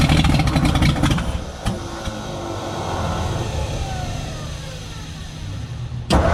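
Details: 1957 Ford F100 revival: cranks, catches briefly with ragged surge, then fades and won't keep running; owner suspects carburetor not working, jets likely clogged, fuel supply problem not confirmed.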